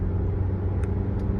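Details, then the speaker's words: 2015 Toyota Venza 2.7L 4-cylinder AWD on a straight road at highway speed after replacing the left rear hub assembly: even low road rumble with no hum or howl rising; the earlier rear-left humming is gone, bearing healthy. "turn here and this is more like a straight Road but I can tell you for sure the sound is gone"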